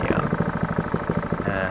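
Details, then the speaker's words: Honda GC160/190 pressure washer engine after valve lash adjustment, idle set on carb with air filter off to about 1,500–1,600 rpm; steady low single-cylinder chuffing, no ticking, healthy idle. "the slow on this particular engine the idling rpm is about 15 to 1600 rpm"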